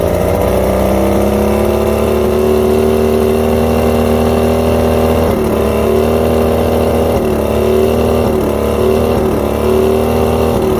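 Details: Two-stroke outboard at idle: steady buzz that dips and stumbles now and then. Coil outputs read about 250 V except coil 4, fed by the even-cylinder bottom switch box; coil tested good, so weak spark from the faulty switch box.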